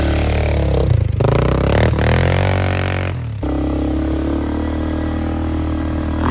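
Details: Flood-repaired 2001 Polaris Sportsman 500 HO test ride, aftermarket muffler and modified clutching: loud exhaust revving and settling under load, no knocking; AWD working, fan cycling so cooling properly; primary clutch engagement delayed.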